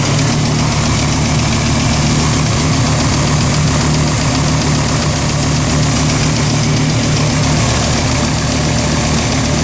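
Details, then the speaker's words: 2004 Dodge Ram SRT-10 with home-built turbo kit, first start after about five months sitting; initially lean with warning lights and felt misfiring, then left idling to clear; loud deep steady rumble with no obvious knocks or misses; running normally. "we're going to let her idle for a little bit see if she clears herself out again it's been sitting for 5 months so sounds like it's running"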